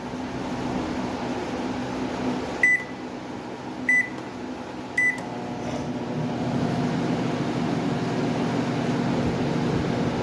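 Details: Microwave after replacing its magnetron, which failed from the transformer's high voltage (drawing about 20–23 A before): three keypad beeps, then a steady, even hum with no buzzing or arcing, drawing a normal 15–16 A.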